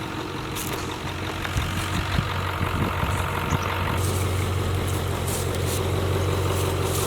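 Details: 1996/97 Ford F-250 7.3 Powerstroke with veggie oil conversion, sitting 10 years, glow plugs off; long steady cranking with occasional uneven chuffs but never runs on its own; cranks, no start, cause unconfirmed.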